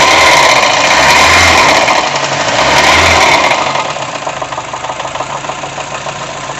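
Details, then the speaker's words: VW Gol 1.0 engine running: steady hollow light knock at idle, louder when revved and worse when warmer; piston slap suspected, head to be removed to check for other causes. "o barulho aqui barulho da contínua dá para desconfiar mas vou ter que remover primeiro o cabeçote aqui para ver se tem outra coisa aqui e ainda mais quando ele é um pouco mais quente aí já piora a situação dele"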